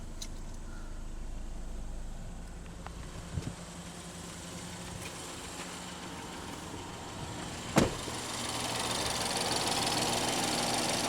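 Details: 2014 Ford Escape SE 1.6 EcoBoost idling right after an oil change, oil pressure light off: quiet, smooth idle with a soft, even hum and no ticking or knocking; engine sounds healthy, no leaks seen.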